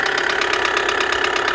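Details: 2008 Kia Sedona 2.9 CRDi diesel (J3) idling with hard metallic knocks while the camshaft sensor is unplugged with engine running and the engine ignores it; code P0016, knock source unconfirmed.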